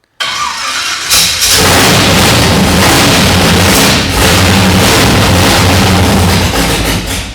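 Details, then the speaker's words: Junkyard Monaro 454 Chevy with Holley 1250 Dominator, first start with fuel only poured in the bowls, no fuel lines or pump: runs loud, slightly lean and uneven, then fades as fuel runs out; stall from fuel starvation. "now we're running it now we've got no fuel left there we go we'll just pop a little bit more fuel and get it to run for a couple of seconds"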